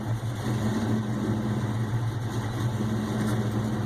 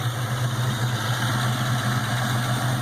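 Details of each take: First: Ford Mustang GT 4.6 V8 first start with Trick Flow stage 2 cams, untuned and cold, supercharger not yet hooked up, BBK long tubes and X-pipe: deep uneven loping idle that surges and hunts, then stalls. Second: Supercharged 4.6 Mustang GT, first start with Trick Flow stage 2 cams, supercharger not yet mounted; BBK long tubes, X pipe, 2.5-inch exhaust and Flowmasters: steady low rumble with a lumpy loping beat; normal cam idle.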